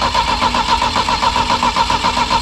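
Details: Saab Sonett III engine just reinstalled, with strong spark: the starter spins it at an even rapid chug but it never catches; the distributor was found 180 degrees out.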